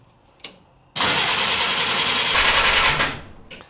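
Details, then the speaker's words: 1950 Willys M38 at its first start in 15 years with a redone fuel system, a 12V system possibly with a 6V starter, and choke applied. About two seconds of steady cranking without firing: cranks but no start, with no fuel reaching the pump yet. "I'm not going to go too crazy cranking it for long periods of time. That's bad for the starter, and I might even have a 6-volt starter in there, and it's a 12-volt system, so that can really wear them out."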